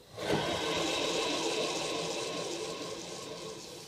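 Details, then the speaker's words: Land Rover Defender 110, alternator removed during front crankshaft oil seal repair, spun by hand: rough, gritty rushing whir fading as it slows; worn alternator bearings, to be reconditioned with new bearings. "that is not a happy alternator so that's why I'm gonna have new bearings chucked in that"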